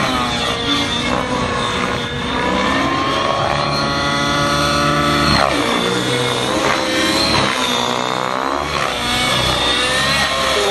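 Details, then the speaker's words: Nitro model helicopter in flight doing tick-tocks and continuous flips after the mid-range was richened: high-pitched two-stroke scream rising and falling smoothly with no sag, more smoke visible; normal running under load. "Yeah, much better. You can see the smoke a little more there, yep."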